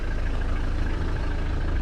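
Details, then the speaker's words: 1994 Mitsubishi Delica L400 4M40 diesel with automatic and overdrive, high mileage. Even, steady diesel clatter at cold idle while warming up, with no misfire, no smoke, clean burning and healthy running. "and the engine is idling and inside the good cold idols diesel is warming up no misfiring yeah it doesn't smoke"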